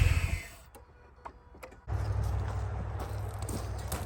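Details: Mazda RX8 rotary revived after 2.5 years sitting, boosted by 200-amp charger, no belts connected: after a quiet gap the engine settles into a smooth steady low hum, no knocks or misses; healthy rotary idle.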